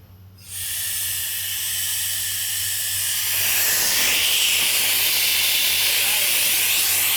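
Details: Clemco contractor 6.0 blast pot with electric controls and Millennium valve, before a field fix: loud, constant hiss of escaping air with a slight flutter; air leak at the valve.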